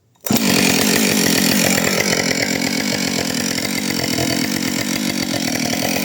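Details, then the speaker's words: Husqvarna 565 chainsaw, first start after overhaul, cutting wood: strong, steady high-revving buzz holding speed under load without bogging; a little smoke because the bearings were oiled, otherwise running well. "Trošku dym, lebo som musel zaolejovať ložiská, ale inak spokojnosť."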